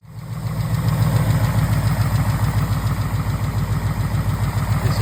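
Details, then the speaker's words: 2021 Mustang GT 5.0L third-gen Coyote on cold start before operating temperature, noticed 1,500-2,000 miles after changing to 5W30: fast steady light tick, three or four a second, from the top end; owner suspects lifter tick. "I noticed a tick coming from the top of the engine. Sounds like a valve. I mean, well, sounds like a lifter tick really in my opinion."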